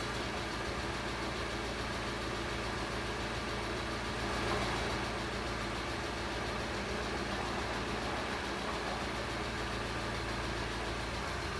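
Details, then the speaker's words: Barn-find Alfa Romeo GTV Spider, stored for years and sold as a non-runner, idling after warning codes were reset (owner blames flat battery or immobilizer): steady, slightly rough idle with a faint fast tick, about four per second, still settling; cause not confirmed. "Still waiting for that ticky noise to calm down a bit."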